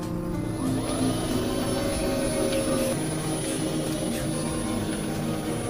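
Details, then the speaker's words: Neta S EV, 2 years and 80,000+ km, on a high-speed road test after its rear differential bearing with failed plastic cage was replaced with steel-cage bearings: only a steady, even motor whine with no rolling-ball noise; normal drive unit. "瞬间安静了，除了这边电机的呜呜声，这边的话任何异响都没有。"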